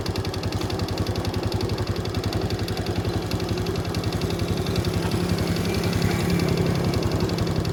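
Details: Honda Wave S 110 motorcycle engine at idle: steady hollow tapping about 220 a minute in time with the engine; piston slap, piston replaced.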